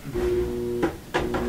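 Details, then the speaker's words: Whirlpool dryer won't start: motor buzzes with steady electrical hum and a couple of clunks, almost turning but stalled; something blocking the motor or a dirty motor suspected, fixed by cleaning motor to free it. "today we have a whirlpool dryer that is not starting it buzzes maker wants to start but it's just won't start yeah you can hear it try enough"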